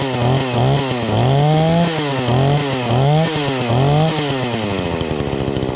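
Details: Brand-new Craftsman S205 two-stroke chainsaw after first start from the box: blipped up and down about once a second, pitch rising cleanly each time, then settling to a smooth idle; healthy saw.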